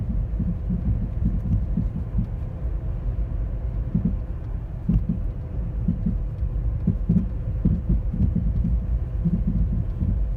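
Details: 2010 Toyota Corolla LE: deep, uneven thumps and pops recurring a few times a second over a low engine rumble, much louder in person; cause unknown.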